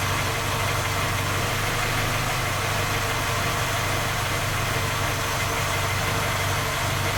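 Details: Skoda Octavia A5 facelift 1.6 MPI at steady cold idle: faint, even light knock over the engine note, no clear rhythm; three engine repairs failed to find the fault, knock persists.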